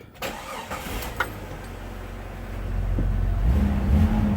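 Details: Jeep XJ after installing new Walker muffler 18568 and tailpipe 55188 with sealant: starter cranks briefly, engine settles into a low, soft idle with no rasp or blatting. Quiet exhaust, though a leak was then felt.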